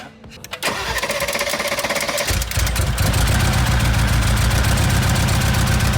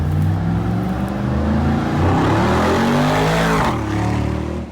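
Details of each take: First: Rebuilt wrecked 2022 Mercedes G63: cranks, catches, settles into uneven, lumpy idle with shaky low beat; runs rougher; one cylinder showed 120 PSI compression, bent valve feared. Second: Rebuilt wrecked 2022 Mercedes G63 V8 after codes cleared and out of limp mode; pulls cleanly, pitch climbing smoothly and easing off, no misfire or rattle; sounds crisp, clean and healthy.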